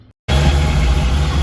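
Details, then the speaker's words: Supercharged engine idling after a spring self-adjusting belt tensioner was replaced with a manual one to stop the belt walking off around 7,000 rpm: smooth, even low idle, belt aligned, not wiggling, no squeal. "so she's [Music] idling everything seems aligned it doesn't look weird or anything not wiggling not squeaking"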